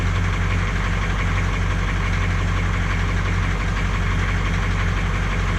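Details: 1982 K20 Suburban diesel 4WD 3/4 ton, after sitting 3+ years: a low, heavy idle with a loose, uneven clatter of about three to four knocks a second. It runs; the source is unconfirmed, and the previous owner suspected a blown head gasket.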